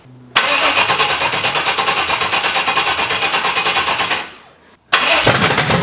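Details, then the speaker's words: Junkyard Vortec 5.7 L V8 swapped into an S10, first start after head swap, no coolant yet: runs with even steady beat, firing on all cylinders and revs responsively, but dies after about four seconds; won't hold idle. "sounds like it's firing on every cylinder for some reason it's dying if I give a gas you hear me Revit it's responsive so I'm gonna have to figure out the idle issue"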